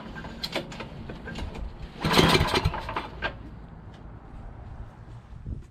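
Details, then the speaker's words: Yardman 8.5 26" dual-stage snowblower, rebuilt from disassembled parts, spark confirmed: rough pulls and uneven sputters, then a louder burst as it catches on starting fluid before settling; hard starting, fires on starting fluid. "So we're gonna put this back in. I'm gonna shoot some go-go juice in there. Maybe. We're gonna pull some more."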